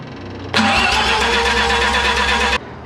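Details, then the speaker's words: Mazda 12A rotary on engine stand, cold, no choke: steady cranking whir for two seconds, never catches; cause found as unblocked intake flap making a huge vacuum leak. "Oh, I know what it is. We never blocked that off. Dang it. That little flap, that's a huge freaking vacuum leak right there."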